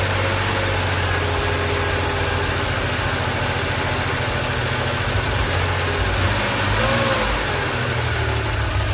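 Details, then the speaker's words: 1980 Porsche 911 SC, first start of freshly built engine after building oil pressure; smoke from drips of a loose oil return line: smooth, even idle, steady low burble, no ticking or knocking; normal idle. "around sounds like a new car boy there's no kns in it"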